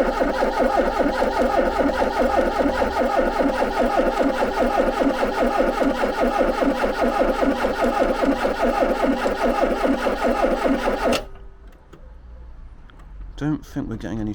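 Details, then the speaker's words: Garden-find Ford Capri with MSD ignition box, couple of gallons in tank, possible fuel filter blockage: steady even cranking about 2.5 beats per second for ten seconds, never fires; cause unconfirmed. "it's not even tried to cough so I'm gonna take a quick look"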